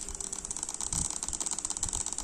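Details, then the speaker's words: Amplifier tone board with a mobile phone placed near it: fast, evenly pulsed clicking buzz through the speaker with no music, silent when the phone is removed; mobile phone RF interference buzz. "มาแล้วเสียงดังกุ๊กกั๊กๆๆๆเลยนะครับเสียงรบเกินรบกวนนะครับนะครับแทรกออกลำโพงเลยนะครับ"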